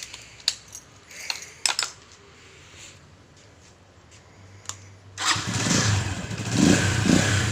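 After some clicks and handling, the single catches and runs with a smooth, even beat and no knock; engine sounds healthy.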